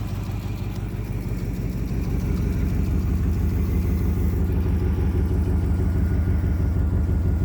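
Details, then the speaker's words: 1987 Camaro IROC-Z with a stroked 305 V8, revived after 2.5 years by fixing a busted spark plug wire; idling while warming up, not yet hot. Deep even burble with no misfire or ticking. Normal idle. "but she sounds great you guys she sounds really good i'm excited that i got it running"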